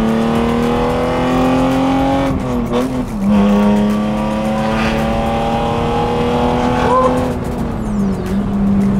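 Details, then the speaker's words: BMW E36 with M52B28 straight-six on a straight pipe exhaust, running after being out of commission: loud, raw, steady drone rising and dipping smoothly with throttle, normal healthy running. "what do you guys think of the sound so currently we're riding on a straight pipe I'm gonna do a video after this with just pure m52 b28 straight pipe sounds"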